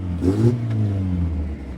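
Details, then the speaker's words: 1971 Datsun 510 with L-series engine, exhaust rusted and snapped off partway so only half an exhaust remains; loud, raw, blatty roar rising when revved, far too loud and open. "so I've only got half an exhaust I mean it sounds bloody ridiculous I can't drive this car like this"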